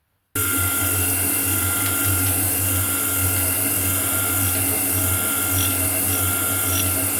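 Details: Homemade grinding attachment on a metal shaper, test grind with a freshly dressed wheel on a shear tool: steady motor hum with a fine, even grinding hiss, no catches or chatter. A clean light pass leaving a good finish.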